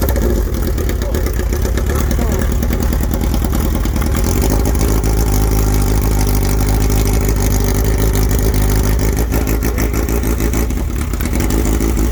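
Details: Suzuki Bandit/GS1100E four-cylinder with new Mikuni RS36 carburetors and open straight header, first startup: loud revving with uneven, lumpy beat and no smooth pickup; air-fuel mixture off, carbs not yet tuned.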